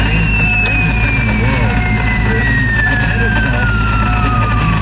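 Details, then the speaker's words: Foxbody Mustang GT with melted wiring, running with headlights on: loud tone sliding steadily down in pitch over a rough engine rumble, electrical whine through the radio; engine also stumbles with headlights or AC on. Cause suspected, not confirmed. "Now, let's turn off the radio because it's the radio actually gets a lot of feedback."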